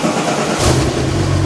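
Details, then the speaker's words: Porsche 997 911 Turbo, crash rebuild, after fixing a massive fluid leak: starts after a brief crank and settles into a steady, even rumble with no misses, knocks or rattles; oil pressure good, no fluid spraying. "oil pressure is great it's freaking running boys it's freaking running and we're not spewing out crap everywhere"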